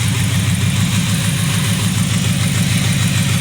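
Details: Toyota Vios petrol engine idles with an uneven, stumbling low throb and a check engine light, a misfire traced to a faulty ignition coil on cylinder number three.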